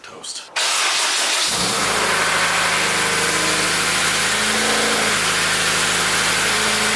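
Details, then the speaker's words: Honda K20A2 engine swapped into DC2 Integra, about 100 km after swap, open header: starts and settles into loud raspy idle with a faint knock underneath; engine has developed rod knock. "if you can hear the engine has developed rod knock and I'm gonna explained why I think that is"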